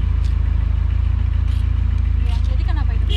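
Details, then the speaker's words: 1983 Volvo 244 GL on a road trip, idle previously dropping; melted fuel pump relay fuse replaced: engine holds an even steady idle with no dips or stumbles; hissing from a loose blow-off vacuum line noted afterward. "Ini udah nggak ada drop ya, nggak kayak kemarin ya."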